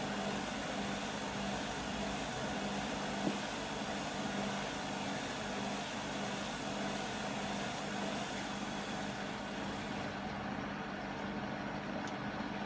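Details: Beko WM5100W 5kg washing machine, found on the street and plumbed in, test-running a rinse with rags: a steady loud roar with a low hum through a long, roughly 10-minute high-speed spin. Noisy; exact source unclear.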